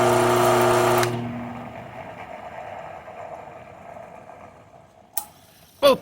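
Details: Chicago Electric 6x36" belt sander with replacement capacitor-start/capacitor-run motor converted to reversible, after the fix: steady even hum with a clean tone, then a smooth coast-down after switch-off; it runs properly.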